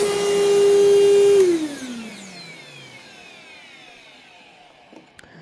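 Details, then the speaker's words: Old heavy vacuum after a hard start: strong, steady high whine that drops as the motor shuts off and coasts down; running worse than at first try, dusty and needing a tune-up, cause of the whine unknown. "it sounds like it's running worse now than it was when I initially tried it like the motor's got kind of a line to it and I'm not sure why that is"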